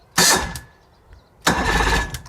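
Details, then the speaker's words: Old fishing boat outboard being de-winterized in spring: two short whirring starter bumps about a second apart with no firing. Checks for electrical contact and a possibly blown fuse; the starter spins, so the connection is good. "We're going to check and see if we've got contact to the engine now, even though we've got our cables hooked up, because we may have a blown fuse, we don't know."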